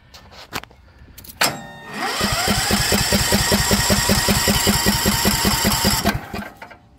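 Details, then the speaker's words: 2020 Cub Cadet XT1 LT42 Intellipower lawn tractor: clicks, then cranking without starting; faulty module intermittently fails to power the tested-good fuel shut-off solenoid. "see in one position it will not open up the fuel solenoid and the other it will so that's something not quite right in here"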